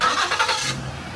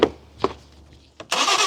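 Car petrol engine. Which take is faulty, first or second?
second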